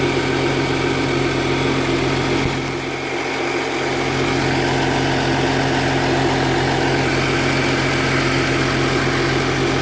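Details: 2010 Audi Q7 TDI diesel idling with a faint rhythmic puff and tick about four a second from an exhaust leak, check engine light on; Audi later fixed the leak.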